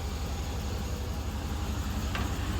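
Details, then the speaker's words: 2004 Chevy Silverado, 6.0-litre V8 that had a clicking noise: after about 2 minutes running with an engine flush additive, it idles with a low, steady, even rumble and no ticking or knocking; the clicking has stopped. "About 2 minutes, it stopped clicking. It stopped. I mean, it stopped. No more clicking noise."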